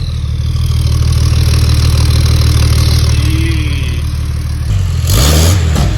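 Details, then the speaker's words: Porsche 964 Turbo 911 after fuel pump replacement, driven back into garage: deep, even engine roar holding steady under revs with a sharp blip near the end, no misses or knocks; normal revving. "caught it back in the garage it sounds great sounds like a beast so she's gonna rip"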